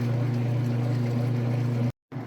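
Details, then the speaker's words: Whirlpool direct drive washer draining: steady low, even drone from the drain pump, with no rattles or grinding; healthy pump. "All right, it's draining the water out. You can hear it running that drain nice and"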